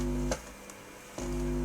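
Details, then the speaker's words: Leak Varislope 2 valve preamplifier, unrestored, connected to speakers with no signal input on the tape head setting: steady low mains hum with a buzzy overtone that varies with the volume. Balance control is erratic, pots suspected bad; hum cause not yet traced. "okay i've got it connected speakers and as you can hear us making a lovely humming noise which varies with the volume the balance seems dodgy as hell"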